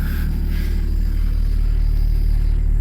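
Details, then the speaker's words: BMW 535xi E61 first start after installing a Walbro stage 3 low-pressure fuel pump and pressure regulator, primed: deep, even idle rumble with steady low pulse, no misses, ticks or pump whine, no leaks; healthy idle. "Well, that's good. It sounds good. Flowing some pumps. No leaks, though, nothing."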